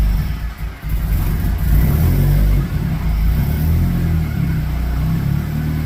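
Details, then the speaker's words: Nissan 180sx SR20 after replacing the power steering pump and adding fluid: deep engine rumble with light revving, no whine rising with speed; new pump quiet and normal, fluid to be flushed of shavings. "So it felt good, and it wasn't making any noise."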